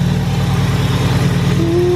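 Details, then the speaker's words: Cold 3.7 V6 Mustang with GT500 M122 supercharger and new throttle body, warming up: lumpy, loping idle with faint blower whine; rough running from the unplugged MAP sensor, fixed by plugging it back in. "update once i sounded the car i realized i knew exactly what was wrong with it the map sensor plugged in helps out a lot just letting you guys know"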